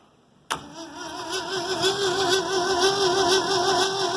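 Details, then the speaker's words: New Holland 1400 combine, Ford 300 engine, first start after cracked cylinder head replaced and spark plug wire repaired: strong even cranking with good compression but no start, firing order wired backwards. "Oh sounds like she's got all the compression in the world of Achaia I have to double-check my firing order all right so I had the firing order backwards"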